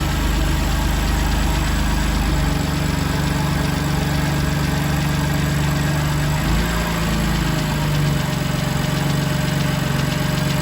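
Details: BMW M2 Competition S55 engine at cold start: fast, light ticking at about four per second rides over a steady cold idle; source not pinned down.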